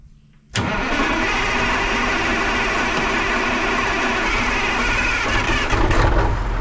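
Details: 1980 Peterbilt 359, Cat 3408 diesel revived after years sitting, running on ether: catches right away into a smooth even idle with no knocking or stumbling; 80 psi oil pressure, runs like a top. Normal idle.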